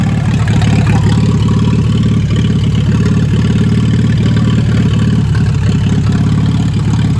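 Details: "Minnie" tractor's first start in a long time after new parts: a loud, deep, unmuffled exhaust beat at a steady, even idle with no knocks or misses. Good oil pressure but not charging. Healthy running.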